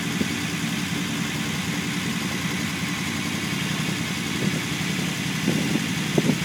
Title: unimog 404 first start up after rebuild